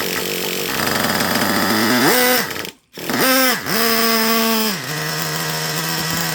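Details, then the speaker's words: Traxxas Revo 3.3 nitro engine after carburetor needles returned to original settings: revs up cleanly and settles to a steady buzzing idle like at the start; running normally, may still need slight tweaking. "Now, I've been messing around with the carburetor a lot, so I still may have to do a little more tweaking. I may be off a little bit, but you see the idle, about like it was in the beginning, right?"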